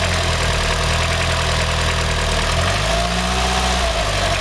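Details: Mitsubishi 4G63 MIVEC 2.3-litre engine: rough idle with a low, dull piston-slap-like knock that follows a rev blip partway through; source never identified.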